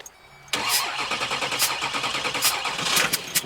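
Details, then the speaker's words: 6.6 Duramax diesel (believed 2006 LBZ) for a Jeep Wrangler swap, with the van's body control module unplugged: cranks, catches, runs a few rough seconds, then cuts out; VATS anti-theft shutting it off, runs with everything plugged in. "That's what we were checking by unplugging that is it'll start and shut off. That's the VATS, the anti-theft shutting it down."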